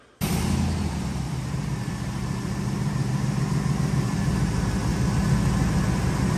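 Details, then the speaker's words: Plow truck in subzero weather, running rough after a new fuel filter didn't fix it: a deep, steady engine drone with a faint uneven pulse. Owner now doubts fuel starvation and suspects an air or vacuum leak. "well the fuel filter uh didn't take care of the problem so we aren't starving for fuel and we must be sucking too much air somewhere"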